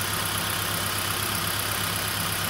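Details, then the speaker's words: 2011 Kia Soul petrol engine idling with an uneven, lumpy beat and shaking, check engine light blinking; dead ignition coil leaves cylinder four misfiring, confirmed with a spark tester. "that this number two coil is dead because you see the engine shaken so number four is misfiring"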